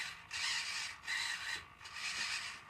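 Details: Six-degree-of-freedom robotic arm on a newly built LiPo-fed power distribution board, first power-up: harsh high-pitched creaking bursts, three surges about a second apart as the arm tries to lift; servos straining under load, cause unclear.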